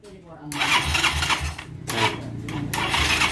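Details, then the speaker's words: Yamaha Xeon carburettor scooter after starter repair and wiring check: starter spins cleanly and the small engine catches at once, revving in short blips; electric start now works normally. "kita tes sekali lagi perhatikan kita tombol starter nah dia bergerak ya"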